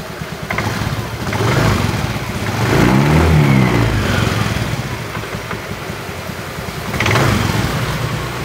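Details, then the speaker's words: Honda Beat FI eSP scooter at low idle rpm with light throttle blips: a loose, clattery, mild rattle from the CVT under the engine note. "Hai beach FH ESP Eko suara pada bagian CVT nya retak-retak Hai klotok-klotok tetapi enggak begitu parah-parah amat ya teman-teman"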